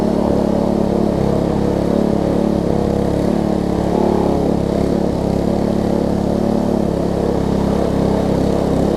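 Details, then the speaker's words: Troy-Bilt Tuffy rear-tine tiller, small single-cylinder engine, reassembled from pieces with diaphragm refitted, cranked up after repair: steady even chugging beat with no knocks or misses; runs well, though a worn cable is suspected of sticking. "but apart from that this thing runs good feels good and all that stuff so let me crank it up force"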